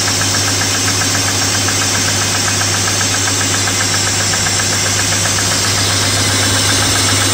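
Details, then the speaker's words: BMW E34 M50 cold start in the morning, around +2°C: light rapid ticking over smooth idle, fading as it warms; hydraulic lifters tapping from thick oil, owner plans thinner winter oil. "конечно чуть чуть огорчило меня эта ситуация стук гидрокомпенсаторов есть чуть-чуть"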